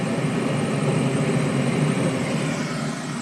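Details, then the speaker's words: Trane 7.5-ton rooftop unit, two-stage gas heat with a new RTRM board, after raising low inlet gas pressure at the regulator: a steady, even roar of burner and blower with no clicking, cycled about 10 times on high and low stage without issues. "since then I've cycled it about 10 times on both high and low stage and it's smooth sailing right now as you can see as you can probably hear we're running fired up"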